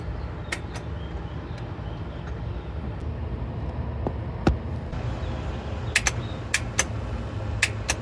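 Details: 2014 Honda Accord 4-cylinder (2.4 or 2.0), original starter at 127,000 miles: sharp single clicks in uneven bursts with no cranking and no catch. Failing starter motor, needing replacement.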